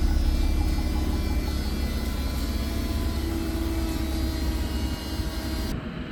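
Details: 2020 Toyota Avalon TRD after spark plug change, heard from the rear of the car: engine catches and settles into a steady even idle with low hum, no misses or ticking; normal startup and idle.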